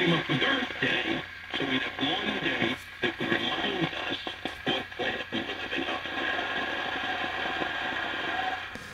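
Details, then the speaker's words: 1939 GE marble-case radio receiver through its original loudspeaker: voices and music rough, buzzy and fuzzy, clear on a test speaker; speaker is toast, possibly a shorted voice coil. "definitely the speaker. The speaker is gone. So I wonder if I just move this. So no. No, it's really toast."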